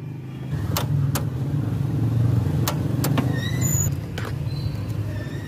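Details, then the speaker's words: Motorcycle that won't start: sharp, irregular single clicks each time the starter is pressed, engine never turns over; starter (mounted underneath) to be removed and inspected. "Check natin si Black. Ayaw start. Lumalagitik lang."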